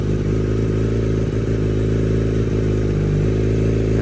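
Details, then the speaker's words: Kawasaki ZX10R fitted with SBK engine, new tyres, upgraded exhaust and clip-ons, idling: steady even deep beat with no knocks or ticks; extremely smooth, healthy engine. "anh em nghe tiếng máy cực kỳ êm cực kỳ"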